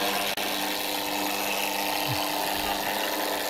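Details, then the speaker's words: Electric roller shutter motor goes down but won't go up: strained buzzing hum, low drone and rough rubbing as motor labours; run capacitor measured 0.4 µF instead of 4 µF, replacing it fixed the problem. "sospechamos que es el condensador bolo que falla porque al bajar puede y al subir no además el ruido ese que hace el motor no va bien"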